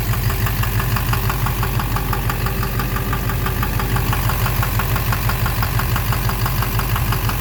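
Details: 2009 Silverado 3500 Duramax LMM diesel dually, 59,900 miles, idling: sharp knock about twice a second over clatter; owner suspects bottom end, cause unknown. Oil analysis shows no abnormal wear metals; knock intermittent since 57,500 miles, truck runs well once warm.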